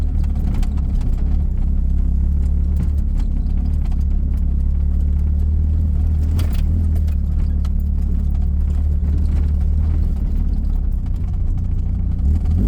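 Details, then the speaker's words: 1984 Dodge Omni GLH on a road test after the fuel-problem fix, taken to almost 6000 rpm under hard acceleration: a deep, smooth drone with no pinging. The lean knock previously heard under load is gone. "I did not hear the uh the lean knock that I've been hearing in the past when I get on it."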